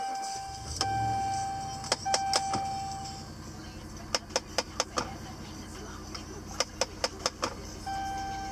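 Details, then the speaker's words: 2009 Dodge Ram 1500 Crew Cab Laramie, ignition on; sharp plastic clicks in quick bursts from behind dash, about four or five a second, from heater blend door actuator whose worn plastic gear teeth skip; replaced under recall. "Which is pretty much the actuator trying to adjust the blend door for the automatic system, and because the gears are worn out, it just keeps on spinning around and making the clicking sound. So the teeth of the actuator are actually skipping."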